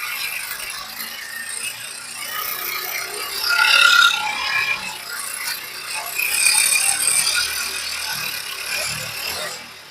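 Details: Honda CD70 motorcycle engine at idle: fast metallic rattle, about four clatters a second; loose, worn timing chain suspected behind the magnet cover, fixed with a replacement timing chain set.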